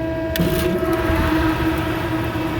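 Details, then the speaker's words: HVAC belt-drive fan after a new motor and new power switch were fitted, with phase rotation checked and the belt set to the old pulley: a steady whir with no squeal or rattle, blowing dust. Current draw is within the allowed 3.47 amps, so normal running. "yeah it's blowing stuff all over the place running good now we need to check current draw"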